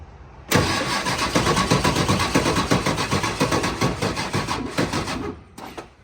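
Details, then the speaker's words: Ford F550 7.3L Powerstroke diesel with newly installed injectors and glow plugs, jumped: sluggish cranking, about four labored compression pulses a second, no start; batteries weak after sitting months, put on charge. "well that actually sounded a lot better than the last time but that actually sounds like weak batteries now they've been sitting here for months again"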